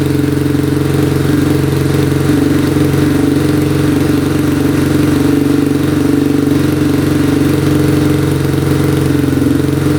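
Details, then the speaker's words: 2002 Yamaha Warrior 350 quad, bought as a non-runner and revived after a mouse nest came out of the exhaust; steady, even single-cylinder idle with a firm low thump, no knocking or ticking, still smoking a little but starts right up and sounds healthy. "Still smoking a little bit. Alright, she's running pretty good. Starts right up. Engine sounds good, no knocking."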